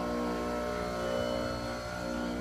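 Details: Enco tool grinder with newly fitted machined diamond wheels on 8 mm countersunk screws, test run: steady constant-pitch hum, no wobble, knock or rattle, no ripple on water cup.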